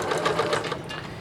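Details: Singer 9970 computerized sewing machine (probably mid-2000s): quick, even stitching beat of about seven or eight light clicks a second, smooth and steady; sews normally with beautiful stitching.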